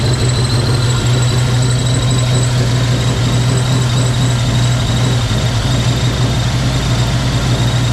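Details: Project car V8 just after first start in 11 years: deep droning idle with slightly unsteady lumpy beat instead of a clean even note; rough running, cause unknown, compression test planned.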